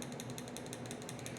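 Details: Old injector from a 1970 Pontiac Firebird LS1 swap, bench-tested after being blown out to clear a clog: crisp, even clicking of roughly ten a second with a clean snap each cycle, showing it opens and closes freely.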